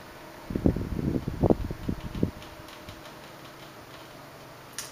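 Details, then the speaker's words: 1976 Electrohome 30 cm (12-inch) desk fan, Korean-made, on low speed: very quiet fan hum, with a short burst of dry irregular cracks and ticks as the head oscillates; crackling from the oscillation mechanism. "very quiet as you can hear but it makes a few cracking sounds like I said when it oscillates"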